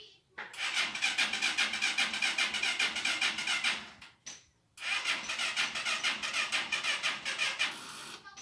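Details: 2021 TMX 125 Alpha motorcycle: two long runs of fast, even starter cranking with a pause between, engine never catches; hard-starting problem, cause unknown.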